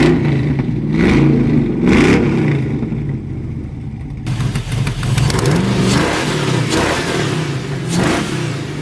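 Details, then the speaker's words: S10 drag truck with a junkyard LS V8, eBay cam and a borrowed tune, coolant around 194°F: deep, even V8 burble rising and falling cleanly with each throttle blip, no knocks or misses; healthy revving. "foreign man this thing sounds good"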